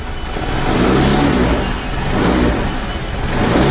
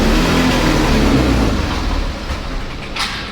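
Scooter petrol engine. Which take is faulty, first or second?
second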